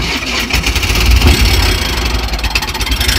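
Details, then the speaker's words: Cheap Chinese Benzhou Volano YY50QT-39 scooter with a GY6 engine, just bought used and started on pickup. It runs rough with an uneven ragged putter and scratchy rattly top end; doesn't sound good. Owner suspects the belt or clutch, and an oil leak points to a crank seal. "sure doesn't sound good doesn't sound good at all boys"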